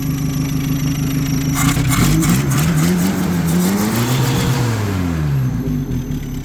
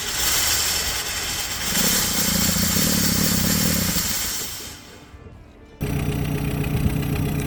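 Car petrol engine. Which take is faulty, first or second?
second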